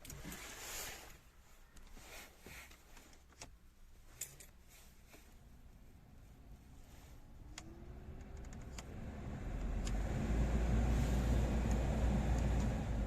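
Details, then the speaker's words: VW Polo 9N3 heater blower motor that squeaked, after removal, cleaning, lubrication and refitting: it spins up to a smooth, even whoosh with no squeak or chirp; it now runs quietly and healthy. "друзья и о чудо все работает тихо божьей помощью сделали"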